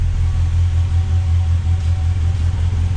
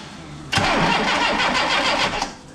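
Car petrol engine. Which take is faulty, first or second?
second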